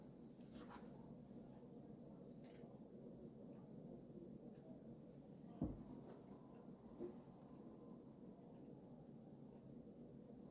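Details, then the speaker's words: Vintage circa mid-1980s Sears 'Designer'/'Kitchenfan' 52-inch plastic ceiling fan made by Emerson, K55 motor, running on high: soft steady whoosh, even low hum, occasional faint click, slight wobble; runs smoothly and powerfully. "But performance-wise, it's basically a standard K55 powered fan. You know, powerful as always."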